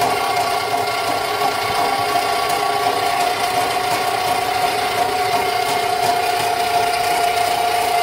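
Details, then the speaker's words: Rental sewer snake in a home sewer line: motor whine under ragged rattling chatter as the cutter binds and won't let the cable advance; it eats its way through, pulling back clears debris. "it's doing its job right now it's actually going hard everything i'm doing is just giving it some slack and letting it it's not allowing me to push through right now at all it's wanting to eat its way through"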